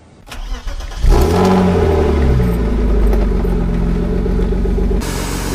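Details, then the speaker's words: BMW 325i E36 with freshly rebuilt M50B25 inline-six and custom exhaust, after coolant bleed: catches within a second and settles to a strong, even, loud idle with no engine knock. "voilà vous l'avez entendu ça réveille un peu les morts ça fait beaucoup de bruit quand même mais pour une utilisation occasionnelle c'est bien"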